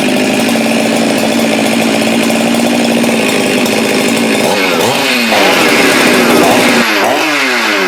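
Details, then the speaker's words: Husqvarna 372 chainsaw built from used parts (Madsen top end, decked, machined squish band). The aftermarket throttle handle, drilled too deep, prevents full throttle. Steady buzz that falls short of a full scream, then bogs while cutting. Throttle not opening fully. "you can't get the full throttle with a with the aftermarket handle so where I used to recommend these I no longer do until they are corrected dimensionally because right now they're not functional"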